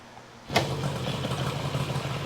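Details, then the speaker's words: 1972 Yamaha LS2 100cc two-stroke twin, 784 miles, after carb clean, restarting after shutdown: engine catches at once and settles into a light, steady idle; starts as it should, normal start. "I mean, that engine sounds good. Took a couple of kicks to start it up, but once it did, that's good."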